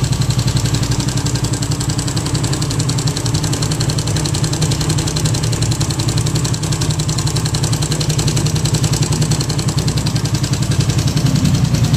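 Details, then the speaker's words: Raider 150 carb-type motorcycle idling with a fast, loose rattling clatter from the timing chain, still noisy even after a manual tensioner was fitted; engine also leaking, possibly missing tensioner gasket. "So yun mga boss no kahit Nagpalit sila ng manual tensioner ah maingay pa rin yung makina ng motor ni boss"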